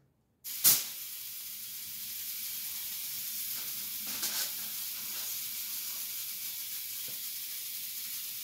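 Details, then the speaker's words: Ion lifter high-voltage power supply, multiplier run from the six-stage output: steady unbroken sizzling hiss from corona discharge at the eighth stage, before dielectric grease was applied to quiet it. "thing I noticed was when I was running on my six stage output of the multiplier the eighth stage was actually having some Corona discharge so that's why you actually hear the hissing"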